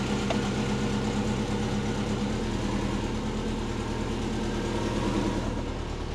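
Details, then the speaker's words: Subaru Forester SF5 converted from automatic to six-speed manual, after reloading base fuel map: smooth, even idle with steady low drone, no misses, pops or backfires; runs much better than before. "so she's running a lot better I'll start her up and you can just hear that it's so much better"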